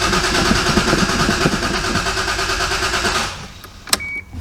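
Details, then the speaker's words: Old MK3 Toyota Supra that has sat for years: steady cranking for about three seconds with no firing and no fuel pump priming heard. Crank no start with no fuel. "it really doesn't feel like i'm getting any fuel still"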